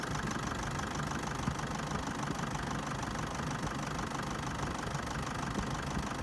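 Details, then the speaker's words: Toyota Hilux D4D diesel at idle shaking badly enough to move a glass of water; engine mounts already replaced, no check engine light or OBD faults; owner suspects faulty injectors, uneven shaky clatter with irregular low thumping, rough idle. "it's very bad not only shaking but also moving and show how bad the vibration from the engine for this car"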